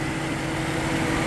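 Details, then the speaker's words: 2010 Mustang with intermittent rough running, PCM suspected, heated with a hair dryer and then sprayed down. The A/C compressor is now turning, giving a steady idle with a constant mid-pitched drone and no misses or surging. Normal idle with the compressor running. "and I have a compressor turning and look at this I now have a little bit of activity"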